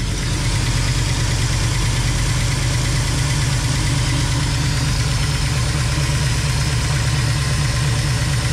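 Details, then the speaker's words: Rat rod tow truck V8 after swapping aluminium rockers for stainless ones, valve cover off: deep even idle with light quick ticking in step with engine speed; one rocker suspected of issues, lash needs adjusting. "feels like this uh rocker right here has got some issues why wouldn't it have issues right"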